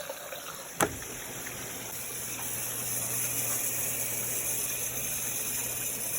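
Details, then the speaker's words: Whirlpool WFW9150WW00 front-load washer, about 10 years old, after replacing the faulty cold water inlet valve behind F8E1 low-pressure errors, on cold wash: a click, then a strong steady rush of water filling quickly; normal fill. "You hear that? Sounds like water is running through it did not sound like that when it was broken."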